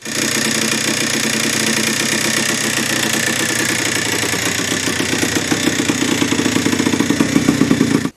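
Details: 1980 Yamaha IT175 two-stroke enduro at idle: a dry, rapid rattle or ticking that grows more pronounced, plus low kick-over effort. Piston slap; the top end was found worn on an already first-oversize piston, needing a new piston and rebore.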